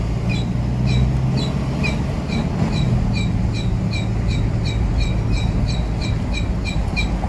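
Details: Pickup truck while driving, noise louder after a few minutes: short high chirps repeat about three times a second over road rumble, in step with the wheel; the disc is rubbing on a bent hub.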